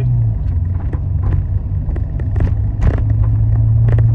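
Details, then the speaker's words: Hydrogen-converted petrol car on the stock ECU under driving load: no low-end torque, poor power, timing not retarded for hydrogen as the ECU assumes petrol. Deep labouring rumble with sharp irregular pops, backfires out the air intake. "I'm also getting backfires out the air intake"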